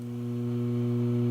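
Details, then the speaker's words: Vintage Gibson BR-6 valve amplifier warming up before service: steady low mains hum with strong overtones, slowly swelling, and some popping noted. A decent amount of hum comes from the transformer; servicing is needed. "you just give it a second to warm up I already kind of here hum a decent amount of hum from the transformer"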